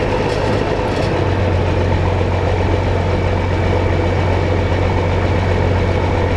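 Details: John Deere combine diesel engine warming up at idle on a hot day; deep, steady throb holding an even low idle with no knocks or misses; normal warm-up idle.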